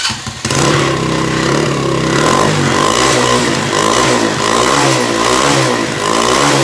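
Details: Mini bike small single after a broken part was rewelded and bolted back on: fires up and runs loud and rough-edged, revs rising and falling rhythmically, no banging metal knock as before; runs normally.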